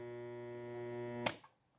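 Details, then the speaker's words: Jacto Clean J6200 pressure washer motor, removed from housing: loud steady hum with no spin-up, current rising high; motor stalled by seized armature bearing at the pump end, fixed by replacing the bearing. "ó e nada amperagem vai lá em cima fica nisso"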